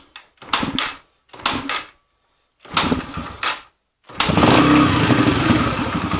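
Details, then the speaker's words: 2007 Yamaha TTR125 after carburetor cleaning and new fuel hose (was hard starting); a few kicks, then the single fires and settles into a steady, even idle with no stumbling — normal idle after repair. "there we go she's good to go now"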